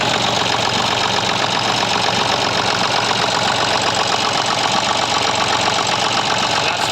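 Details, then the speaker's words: Massey Ferguson 35 diesel after overhaul, idling before warm-up: steady, even clatter with no misses or surging. Still smoking a bit, but running much nicer, and the fuel glass bowl no longer pulses as it did before. Normal idle. "still smoking a bit I want the crack is there now but she's running much much nicer if you remember before it was was uh pulsing in the glass bowl"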